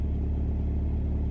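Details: VW Golf Mk7 2.0 TDI EA288 diesel (CRLB, 110 kW) just after cold start at -13.5°C / 7°F, fresh battery, working glow plugs: deep even diesel clatter settling into smooth steady idle, no misses or knocks; normal cold idle.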